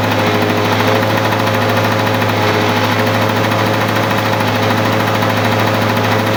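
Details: 1985 Lawn-Boy 7350 mower revived after sitting outside for years: steady, even two-stroke burble with a constant low drone and no misses or knocks. Normal running.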